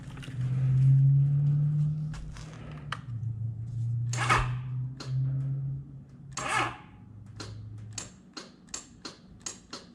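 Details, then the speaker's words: Honda CB900 Custom motorcycle that had been cranking fine: a hum that dies out, then single dry clicks with no cranking; the starter won't turn the engine, owner suspects a battery needing a charge. "all right okay now that don't make sense at all it was cranking just fine huh"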